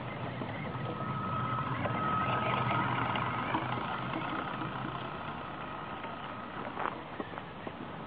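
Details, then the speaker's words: Running engine with a thin, wavering whine and quick ticking about four times a second; owner suspects a broken gear, possibly the motor pinion having shifted. "on entend bien le bruit du pignon pété lequel c'est c'est le pignon moteur qui a bougé moteur en luiême bougé ça peut ai c'est carrément un pignon"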